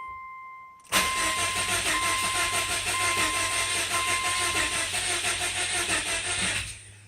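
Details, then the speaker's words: Car after head gasket install, first start attempt in neutral with clutch in, odd whine heard at key-on: starter spins engine steadily about six seconds, never catches or fires; crank no-start, check engine light on. "I got nothing oh just for shits let's see let's see what that check engine light is all about shall we"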